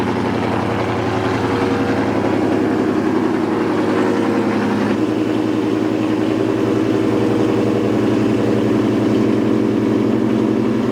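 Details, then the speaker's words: Car engine out of timing, likely from a bad cam phaser, idling fine with no knocking or ticking; loud bee-like buzz is from the 1050x ID fuel injectors. "see the car idle is just fine you come over here no knocking there's no ticking now that sound that you hear is like pretty loud that almost sounds like a bee like uh you know like a i don't know like a flyer of me those are my injectors"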